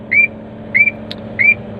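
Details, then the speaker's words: Crane computer setup while lowering the hook block and raising the boom: three rising chirps about two-thirds of a second apart repeat over a low steady engine hum as the anti-two-block (ATB) alarm keeps sounding. "oh ya teman-teman, ini kan ATP-nya masih bunyi terus ya kan."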